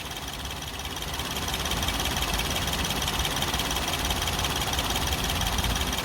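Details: Nissan Pixo small engine at idle: uneven, lumpy beat around three pulses a second that wavers instead of settling; rough idle, cause unknown.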